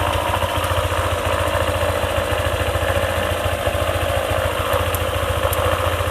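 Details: Honda ADV 150 scooter after the CVT area was reassembled: steady single-cylinder idle with even beats and no clicking from the belt-drive side; the earlier CVT clicking is gone, though it may return if the lubricant wears off.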